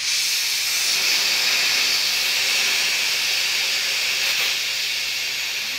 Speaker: that was you can hear that little blow off pressure and here's your airless release Vale